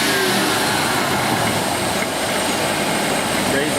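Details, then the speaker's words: Ford EEC IV engine after new distributor installed, fixing cylinder 2 and intermittent misfires: even, steady drone at slightly raised rpm with no stumble, skip or miss, running smooth. "again you hear how nice and smooth this is running"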